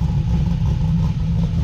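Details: Car with a modified V8 (heads, cam and more): deep idle with an uneven, lumpy pulse that wavers from beat to beat. Rough idle; the car needs tuning.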